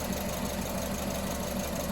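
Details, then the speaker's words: Petrol engine idling with an uneven, stumbling rhythm, missing a beat from a deliberately induced misfire during a secondary ignition waveform test. "You'll hear it right away on the cadence of the engine here. You'll hear it miss a beat."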